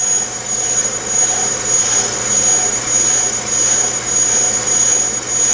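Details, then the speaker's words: Bench brake lathe cutting a rotor: steady high-pitched squeal over the cutter's hiss, which is rotor vibration; a spring damper device minimized it and pinching it helped further. "that squealing noise that's actually a vibration"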